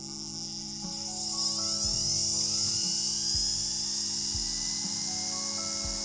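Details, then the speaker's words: Vevor S-R hanging flex shaft carving tool, 0–18000 rpm, running in reverse: high steady whine with faint regular ticking underneath; sounds different from forward but normal, used over 100 hours without smoke or popping. "Now I'm not entirely sure what it is, but it is certainly different. And it had me worried at first, but I've now used this for well over 100 hours. And it has not smoked or popped or made any other funky noises. It just consistently sounds different between forward and reverse."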